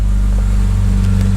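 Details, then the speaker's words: 2011 BMW 328i non-runner, cold start: deep booming exhaust drone at steady idle with nothing muffling it, because the rear muffler was cut out and the exhaust valve is stuck open and won't close, so it is always loud. "I am not sure if you can hear it but this that's funny thought someone would actually spend the money to cut out that"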